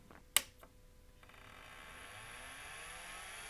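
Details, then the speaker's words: Apple HD20SC external SCSI drive for Macintosh Classic, PCB removed and cleaned of dust, power test: a click then a smooth whir rising in pitch and settling into an even spin; spins up normally, stepper idle as not connected to Mac. "it does and it sounds pretty good the stepper motor isn't moving but that's probably because it's not hooked up to the Mac"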